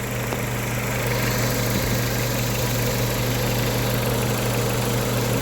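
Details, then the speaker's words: 1998 Honda Civic with replacement engine after rod bearing failure: quiet, smooth, even idle with steady low hum, no knocking or ticking, like a sewing machine; normal idle. "it's in a really good condition bottom end wise very quiet actually one like a sewing machine"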